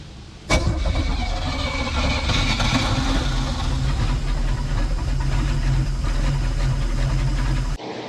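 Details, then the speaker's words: Sea Ray boat engine after 17 years sitting, rear cylinders soaked in ATF, gas poured down the intake, poor compression in cylinders five and six: brief cranking, catches and settles into a steady, low, slightly uneven run; engine starts and runs. "I don't know sounds like it runs despite the horrible compression numbers we were getting in cylinders number five and six but I guess let's keep running it"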